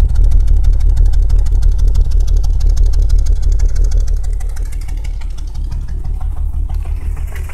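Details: BMW 328is with S52 (M3) cams swapped into its M52, timed using the tools and online guides: sharp, even top-end tapping about three times a second at idle, keeping pace with the engine. Owner unsure whether cam timing is off; knock cause unknown.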